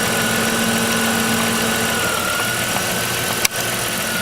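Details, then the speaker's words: 1998 Chrysler Town & Country 3.8L after number one fuel injector replacement and reassembly: steady, even idle hum with a faint whine, no knocks, stumbles or misses; normal idle. "okay so we've started the engine here's to be running smoothly"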